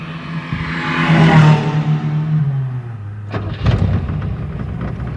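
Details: Chevrolet Chevette after starter motor repair, cool 12 °C morning, battery reading 10.8 V: brief clean crank, engine catches at once, revs flare and settle with no grinding or clatter; starter noise fixed.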